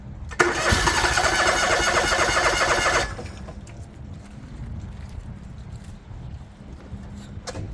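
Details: John Deere LX178 riding mower with a liquid-cooled Kawasaki engine, acquired as a non-runner, being cranked to draw fuel into the carburetor: steady starter churning about four beats a second for three seconds, then it stops; cranks but won't start.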